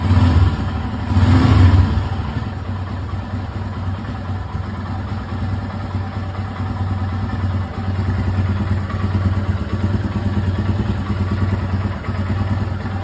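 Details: 2022 Royal Enfield Himalayan single-cylinder, started after two days sitting, after raising TPS voltage to fix cold-start stalling: steady, even thump settling into a smooth fast idle as it warms, no misses or clatter.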